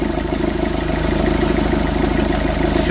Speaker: Ça fait énormément de bruit. Ça c'est le pendeur de de couro d'accessoir qui achès. Normalement il bouge pas autant.